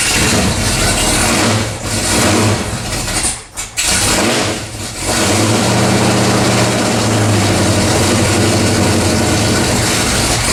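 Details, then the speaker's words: 1979 AMC AMX, AMC 304 V8, after header wrap: brief crank, then smooth deep idle with no ticking, 70 psi oil pressure; header leak fixed, normal healthy idle, no choke fitted. "i don't hear any more ticking that's a good sign 70 pounds oil pressure that's a good sign"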